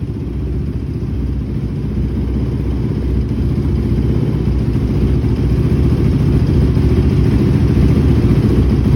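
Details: 2006 Honda TRX450R single-cylinder engine after a tune-up with new stator, CDI box, wire harness, spark plug, valve adjustment and the original OEM carburetor cleaned and rebuilt in place of a Chinese one; even, steady thump with slight rev build, no knocks or misses; running clean.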